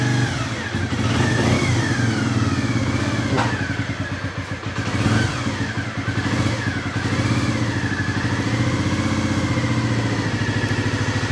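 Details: 1997 Honda CB50V Dream 50 AC15 DOHC four-valve 50cc single, after sitting about 15 years, still warm, choke off, throttle blipped: crisp buzz climbing and falling cleanly, no misses or rattles, no smoke; runs healthy.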